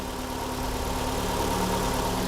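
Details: 2012 Ford Escape 2.5L four-cylinder, after replacing the EVAP purge valve for code P144A: even, steady idle with smooth low hum, no knocks or misses; engine running clean.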